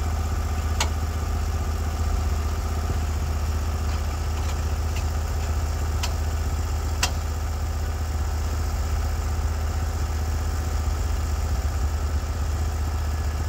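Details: Norwood HD36v2 bandsaw mill, day two testing new roller guides that replaced the ceramic guides, slabbing big black oak through bark at about 24 in wide: a steady, low engine drone holds under load with no surging, knocking or chatter; the motor is loaded as it should be.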